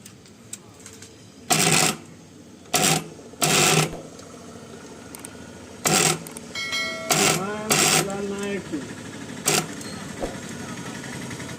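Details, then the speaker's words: MU-1 starter for a 7.5 HP motor: sharp irregular buzzing bursts as the starter pulls in; contactor chattering because its contacts rusted after the starter got wet near a stream. "Friends, ఇది ఇలా sound రావడానికి గల కారణం వచ్చేసి starter అయితే వాటర్లో అయితే తడిసిపోయిందనమాట."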